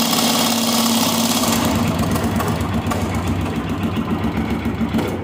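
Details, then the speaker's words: Honda XLX 250 R single: very loud, fast, uneven rattling knock over idle at roughly three or four hits a second, first suspected as cam chain or valvetrain; found to be a bad connecting rod. "mas como eu havia prometido dá uma olhada aí no barulho que tá esse motor meu tá muito alto tá muito alto mesmo é absurdo um barulho que está passando"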